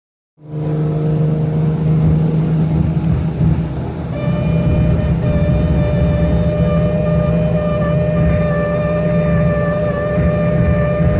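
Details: E46 BMW M3 cabin at about 80 mph: a steady droning tone over heavy road and engine rumble, apparently from the dashboard; cause unknown.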